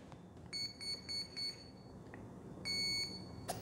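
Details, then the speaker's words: ZOHD Alpha Strike 620mm RC plane, 4S 2200 LiPo, re-powered with throttle cut and sticks down: the speed controller plays its normal boot cycle, four short high beeps then one longer tone after a pause. "okay so it's doing its normal boot cycle"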